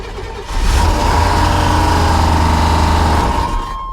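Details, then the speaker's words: 1993 Chevy 1500 454 SS V8, 53,000 miles, salvage auction, heavy front-end damage, jump-started. Brief crank, then an even, deep V8 rumble with no misses or knocks; it runs. "all right well it runs I guarantee it's got a good transmission"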